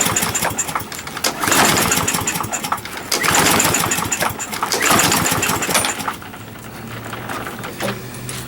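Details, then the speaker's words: Used 21-inch Murray push mower with its air filter missing, after starter fluid: three rattling rope pulls about 1.7 seconds apart, and the engine never catches. Owner thinks the carburetor is probably junk. "Alright, carburetor's probably junk. I wish I could drain that float out."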